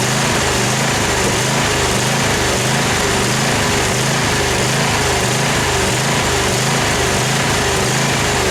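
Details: Craftsman FS 5500 lawn tractor: the small engine runs at steady volume but hunts in a regular pulse, under a second per cycle; the owner says dirt in the carburetor makes it surge.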